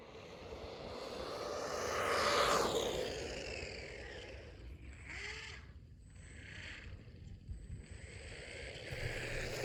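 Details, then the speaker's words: Brushless RC car under load: a high electric whine sweeps past, then uneven scraping chatter as the pinion gear on the motor shaft slips because it was not attached well; fixed by making a new pinion and gluing it on. "Okay, so that was not that fast, and this sound is not good. So it turns out my pinion gear, which is right under here, the one attached to the motor, was not attached well enough, and it would slip when the motor would spin."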